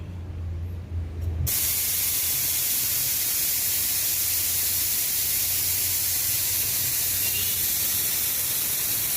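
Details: Shark 1 HP twin-cylinder belt-driven air compressor (550 rpm, 83 L tank, 7 bar): it won't start while the tank is still pressurized, so air is bled off first; sudden loud, steady, even hiss; normal pressure release.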